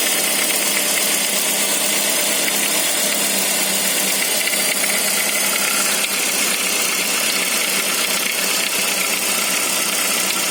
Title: Saab 9-5 cold engine strange noise